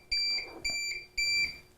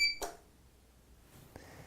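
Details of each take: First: APC BE650G1 UPS with wall power unplugged: even high-pitched beeps, about two a second, each a third of a second long, warning no electricity available; unit running on battery. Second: APC BE650G1 UPS switched on after plugging into mains: one short high beep then a soft relay click, indicator blinking as it charges; normal power-up.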